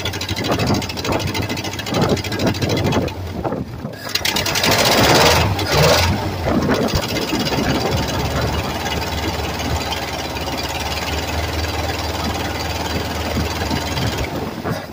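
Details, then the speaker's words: 1967 Chevrolet C20 V8 pickup, first start in several years with fuel poured into the carburetor: cranks, catches, settles into a rough idle with a light rapid ticking; exhaust leak from a cracked exhaust manifold, to be fixed. "That did pretty good, actually. I got an exhaust leak. I got a cracked manifold right here."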